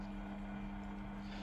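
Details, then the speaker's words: Beko WTG620M2W slimline washing machine found on the street, with a newly wired plug and not plumbed in, on a drain and spin program set to 1200: the pump comes on, then a smooth, even motor hum with no knocking or scraping; spinning normally. "you can hear the pump coming on this is a good start so this machine spit spinning that's cool"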